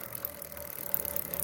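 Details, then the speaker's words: Motorcycle chain turned slowly, with correct tension and the links, sprocket and lock checked: faint, uneven dry "kat kat" clicks from a chain running without lubrication. "कुछ इस तरीके से आवाज आ रही है इसमें cut cut cut cut इस तरीके की"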